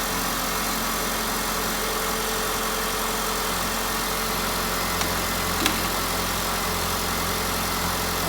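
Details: 2002 Honda Civic 1.7 L after alternator replacement, idling with charging at 14.3 V: smooth, steady hum with no knocks, squeals or whine; healthy idle.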